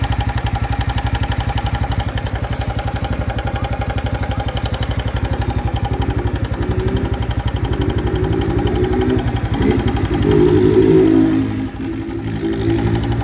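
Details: New 2025 Honda Biz engine shows a new noise after being accelerated to under 70 km/h: even, regular clatter about four beats a second at steady idle; unusual engine noise of unknown cause.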